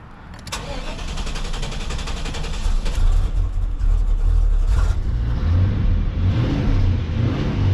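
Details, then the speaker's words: LT1 Chevrolet Caprice started with the water pump removed to test a cleaned, resealed original Optispark that had oil in it: it cranks and catches unevenly, then settles calmer; owner suspects remaining noise is from the missing water pump. "This car does start pretty weird. That's chilling nice and calm right there."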